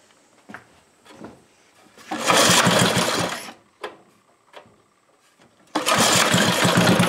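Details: Briggs 5HP engine during points-to-electronic-ignition conversion, temporary setup, good blue spark: short bursts of rough, uneven running with gaps, surging and stumbling; possibly a carburetor issue, not confirmed.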